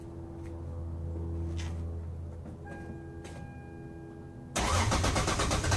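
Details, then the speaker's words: Lexus SC300 2JZ after fuel pump ECU bypass, engine still cold: cranks a few seconds, catches into a rough, uneven run that stumbles and tries to die when revved; starts much better than before; cold start hesitation. "could see there, it still gave me a pretty decent hesitation. I don't know if that's because we linked it up, but it did start way, way better than it did before. The car still is not warm."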